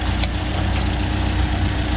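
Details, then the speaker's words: 1956 Land Rover Series I 86-inch wheelbase, sat for several years, first start after fuel tank cleaned, fresh gas poured in, no coolant; steady, low, even idle, no ticks or knocks, running like a clock. Normal idle. "After I don't know how much time, but you can tell it was a lot of time without starting, and the engine is running like a beautiful clock. Not even noisy. Very beautiful."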